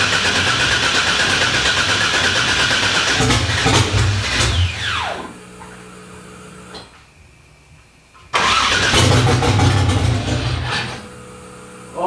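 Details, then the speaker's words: LS1 V8 swapped into a 240SX, first start with open headers, untuned computer not yet flashed: cranks, catches and runs a couple of seconds, dies, fires again and quits; good oil pressure; brief start then stall from immobilizer. "oh my god it fired to life I can't believe that just briefly briefly fired to life it has good oil pressure so I was super happy about that"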